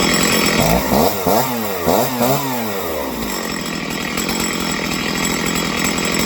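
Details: Stihl chainsaw being carb-tuned after failing to idle on the low end: several quick rising and falling blips, then a clean, steady high buzz; it revs crisply and holds speed without bogging.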